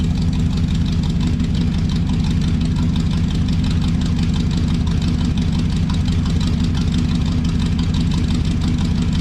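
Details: 1968 Chrysler Newport V8 with a newly finished homemade exhaust, only about four miles driven. A deep, steady rumble with an even beat and no ticks or rattles: a normal, healthy exhaust note.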